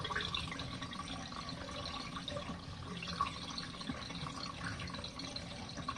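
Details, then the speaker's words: RV washing machine on standard mode, warm water, medium water level, washing bike pants: final spin and drain with steady water gushing and trickling over a low pump hum, no knocks or grinding; normal drain. "all right final spin final drain and we'll go on the final the last 3 minutes of spin guys"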